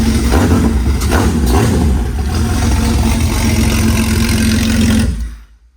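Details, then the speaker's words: 1997–2001 Jeep Cherokee XJ engine with coil pack, running on a test stand on a homemade stand-alone harness from a 2000 model: fires and runs smoothly with a steady low hum and quick throttle blips; normal running. "that's the first ever coil pack I've had run on this stand and it runs"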